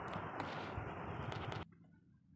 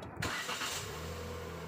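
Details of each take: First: Proton Saga MC2, engine started early in the morning: it cranks and catches, then an extra wavering whine and rattle rides over the idle, unlike a normal start. Owner asks whether it is a starter problem; cause unclear. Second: Proton Saga MC2: short crank that catches quickly and settles into a steady even low idle without extra noises; normal start, unlike the abnormal extra sound it makes on early-morning starts.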